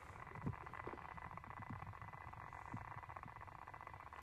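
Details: Newly acquired Xiegu X5105 radio transmitting on 14 MHz with an external microphone: a steady raspy buzz while keyed, absent on the internal mic. Owner suspects the SWR bridge, with a flickering high-SWR tag and wavering low output.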